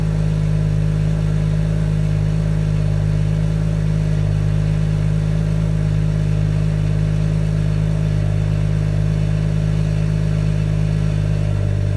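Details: 2017 BMW M140i xDrive, new, at 1000 km, on a cold start in Comfort mode with the standard exhaust. High steady idle with a faint strange metallic rattle over the engine note; source unknown.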